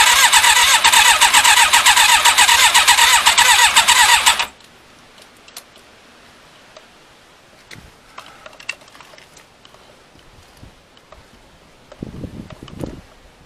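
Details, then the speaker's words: Thunderace motorcycle, stone cold, fuel primed: about four seconds of rapid, even cranking at roughly two beats a second, no firing, then silence; cranks but won't start, owner thinks the battery is going flat. "obviously it's not fired i think the battery's getting flat so i need to let me hook up another battery"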